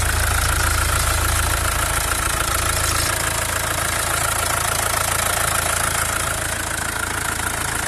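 Diesel idling with a fast, steady tapping of about three beats a second under the clatter; the source is unclear but it isn't belt-driven.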